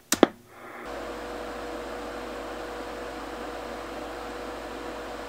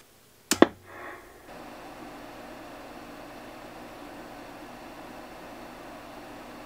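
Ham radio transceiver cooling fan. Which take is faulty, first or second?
first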